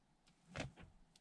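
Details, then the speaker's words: 2020 LADA Vesta SW Cross, 1.8 engine, AMT 2.0 robotised gearbox with Sachs actuators, 28,100 km. Engine off, ignition on, radio muted, quiet cabin; shifting into reverse gives two short dry clicks with no squeak. Normal actuator operation. "уникальная возможность послушать без шума двигателя работу актуаторов как это будет происходить"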